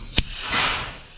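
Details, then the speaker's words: Peterbilt truck air brake system with temporary air supply, trailer valve cleaned of rust at its seat, brakes applied after a bit more charge: a sharp pop and short clean burst, no lingering bleed; normal valve operation. "Releasing. Oh, you hear the valve dump, and that's just emptying the line. It's the same amount of air every time as it empties the line."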